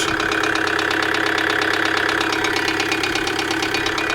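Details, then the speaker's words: 2008 Kia Sedona 2.9 CRDi diesel (J3) idling with a harsh, rapid metallic ticking-knock; camshaft sensor wiring being scoped and found good, code P0016, knock cause unknown. "so there's not wrong with that camshaft sensor oh the noise is terrible all right let's disconnect a bit running"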